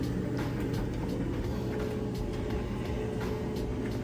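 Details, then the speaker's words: Amana electric dryer running on timed dry, high heat, without the vent hooked up: even, steady rumble with soft regular tumbling thumps, no squeal or grinding; runs healthy. "but as you can see it's running sounds great looks great"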